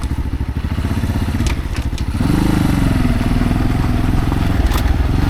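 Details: Single-cylinder motorcycle on gearing-change test ride: slow, uneven thumps laboring at low revs before picking up, near stalling; rear wheel bound up on brake caliper or axle causing heavy drag.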